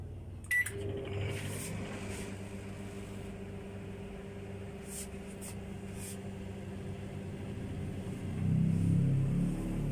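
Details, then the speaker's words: Microwave after repair, cooling fan motor internals cleaned with sandpaper and reassembled: start beep, then steady low hum with faint even tone, no rattle or grinding; noise gone, running normally. "มีเสียงหายแล้วครับเสียหายแล้วเป็นอันว่าสำเร็จนะครับ"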